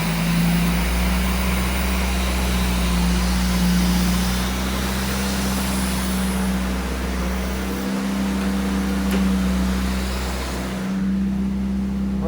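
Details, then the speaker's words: Car sitting in a garage since 2000, just started after about 25 years, 50 psi oil pressure, battery charging, bit smoky: steady fast idle hanging around 1,800 RPM instead of settling near 800. High idle, cause unknown. "at sitting at like 1,800 RPM. Not too sure what that's about. Does sound really good, though."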